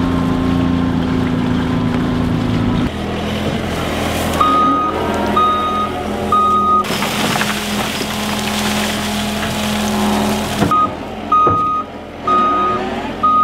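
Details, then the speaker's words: Brand-new track loader reversing: steady high beeps about once a second over diesel engine rumble; backup alarm working as it should. "You ever hear that beeping, you look, pay attention. Yeah. There it is."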